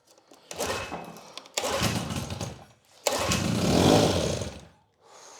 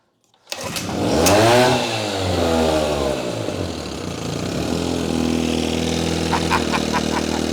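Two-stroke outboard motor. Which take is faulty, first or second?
first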